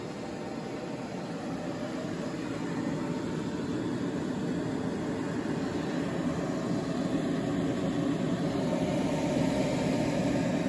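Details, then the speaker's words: EG4 6500EX solar inverter, status switched to yellow with solar as primary source: steady airy fan rush rising as load builds, fans jump about 10 dB with no rattles or grinding; normal cooling fan noise under load. "here the fans have really ramped up and even to this point I don't believe there is loud as they're going to get I believe they do get louder during the day especially when you start getting them a few thousand watts of solar coming in"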